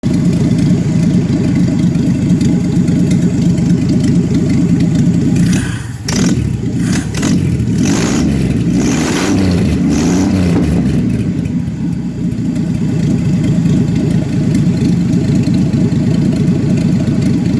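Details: 1966 Chevrolet Impala 250 cid inline-six petrol engine idling with an uneven, lumpy, wavering low rumble; rough idle, cause unknown.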